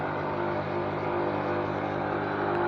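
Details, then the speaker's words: Semi-automatic washing machine drain pump after wash, drain pipe to sink, knob set to drain: steady whir with thin mid-pitched whine and no water gurgle, running dry, meaning draining is finished. "Once you begin to get that sound, that means that draining is done."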